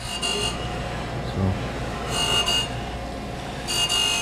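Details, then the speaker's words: Okamoto surface grinder grinding a heat-treated insert in a 6x6 squaring block, feed override raised: gritty hissing grind bursts each pass over steady spindle hum, biting harder though spindle load not high. "can see it's biting harder now and spindle loads really not that high it just sounds bad it's definitely grinding"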